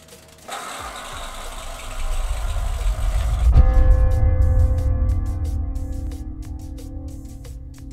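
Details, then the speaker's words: DeLonghi Magnifica S espresso machine rescued from the trash, neglected and air-locked, run from a battery power station after repair; the pump hum gives way to a steady whirring with light ticking. Normal operation. "I naprawiony! Ożył!"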